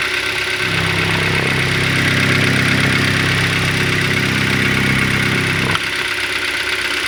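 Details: 2012 Hyundai Elantra at 50,000 on the clock, after refuelling at a Kyiv filling station: loud idle with a regular knock about three beats a second that stops when the engine is switched off; cause unclear.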